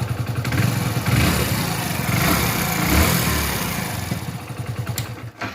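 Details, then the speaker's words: Hero Splendor Plus BS6 2021 single-cylinder, fully cold idle: light, quick ticking about three or four a second from loose tappets never adjusted since new, noise grows as engine warms; valve clearance setting needed. "तो अब इस bike का तो क्या इसका engine बिल्कुल ठंडा है अब जितने भी यह ज्यादा बाइक गम होगी तो उतनी इसकी जो टेप की आवाज है वो बाढ़ जाति है"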